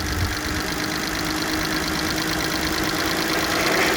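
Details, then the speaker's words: 2005 VW Touareg 3.2 BMV engine, warm idle: light, rapid, unevenly ticking knock that is heard only around 1200–1300 rpm and fades higher. Drive belt was removed and accessories were ruled out; owner suspects the cam phasers. "он так распространяется и он держится только на оборотах 1200 1300 дальше как бы уже не совсем слышно"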